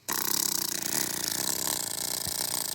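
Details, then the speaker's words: BMW N52 DISA valve electric motor on the bench after dunking in used motor oil, terminals oiled too: thin, fluttering, sluggish whir spinning way slower; oil on the coil slows the actuator. "As you can hear, it's spinning way slower. Let's give it a little bit more oil, see how much we can do."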